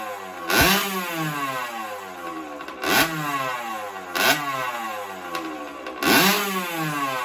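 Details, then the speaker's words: 1983 Honda CR60 air-cooled two-stroke after top end rebuild with Kawasaki KX60/KX65 piston, freshly built, slightly smoky: crisp blips, revs snapping up and back four times with steady idle between; normal running. "so anyway we'll get it fired up now for you you'll you can hear her hear her running she sounds great really really tough"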